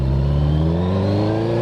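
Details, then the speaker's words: Suzuki GSX-R pulling away from idle after the STVA valve code fix; it used to bog from idle until about 3,000 rpm. Pitch now climbs steadily with no hesitation or stumble, very smooth. Smooth acceleration. "Okay, that was very, very smooth. It's feeling real smooth."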